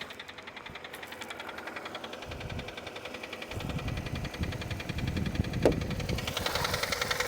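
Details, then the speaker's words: Auction car from New York with 196,000 miles, just started: a loud, steady knock at about three or four per second over the idle, louder under the open hood. Deep internal knock, cause unknown. "o you hear that that is not healthy let's hop out and see what that sounds like under the"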